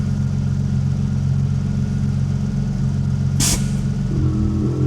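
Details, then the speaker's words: Mercedes-Benz 190E super turbo, newly installed air-ride, engine idling, set to highest (raised) setting: system adjusting each pressure, brief sharp hiss as the management module exhaust valve lets a tiny amount of air out, then faint pump hum as bags settle. "Yeah, so we're now in the highest setting. You can hear it adjusting each of the pressures. There's the exhaust valve on the management module going letting a tiny amount of air out."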